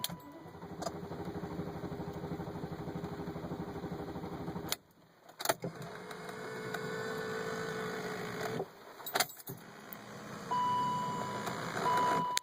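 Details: BMW 540i cranking, recorded from inside the car: the starter spins the engine at a steady, even churn for a few seconds but it never fires; crank, no start.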